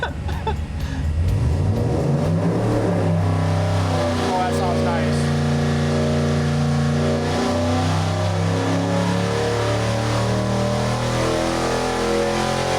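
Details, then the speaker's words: Clean, strong, even V8 firing pulling up from 3,500 to 7,000 rpm on the dyno, no knocks or misses, from a new 6.4L Gen III HEMI build with Holley High-Ram intake and Terminator X Max EFI; 562 hp, 478 lb-ft. "crank crank that up just uh okay don't don't get scared because we're gonna go uh uh 3 500 to 7 000"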